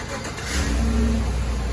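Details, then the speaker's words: 2017 Chevy Suburban, 87,000 miles, which had random misfires and rough morning starts: cold start after new spark plugs and wires and cleared codes. It cranks quickly, catches at once and rises smoothly to a fast cold idle without stumbling. Normal cold start. "Uh-oh. It started. It sounds pretty. Sweet. Sounds really good."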